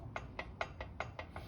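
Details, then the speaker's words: Buick 215 V8 crankshaft assembled dry on the stand: sharp light clicks about five a second as the crank is rocked, from slight vertical play appearing only when the number two main cap is snugged; end play fine, cause unknown. "I don't know if you can hear that knocking. The tiniest bit of vertical movement here on on the crank."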